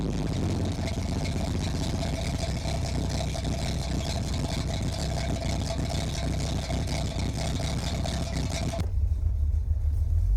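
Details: 1981 Chevy Corvette, brand-new V8 after overheating repairs: electric fan, insulated fuel line, new fuel filter and spacer. Deep, steady idle with an even low rumble and no knocks, misses or hunting. Normal idle.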